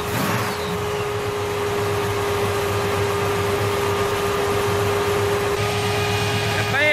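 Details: 1966 Chevelle Malibu, 327 small-block V8 with double hump heads, small cam, headers and dual Magnaflow exhaust, after tightening loose rockers: steady, even, low-rumbling idle with no top-end tapping; normal idle.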